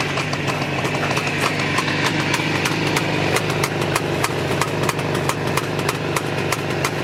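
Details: Jawa 634 350 two-stroke twin at idle: uneven, stumbling exhaust pops as one cylinder fires only intermittently; rough idle.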